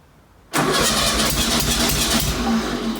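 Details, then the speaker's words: 1966-67 VW Beetle 1500 first start after long storage, with new fuel, run indoors: brief cranking, fires almost at once into a steady, lively idle. It's extra loud from a holed exhaust, shows little smoke, needs a new fan belt and won't rev. "Oh! That was quick. The new fuel's got through."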